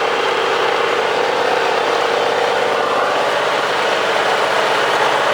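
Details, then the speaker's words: Cub Cadet 3050 four-wheel-drive, homemade keyed front drive shaft with greased bearing: even, steady mechanical hum without clatter or rattle; shaft running smoothly. "Everything looking good. That guy shaft there running real smooth. That's running pretty smooth."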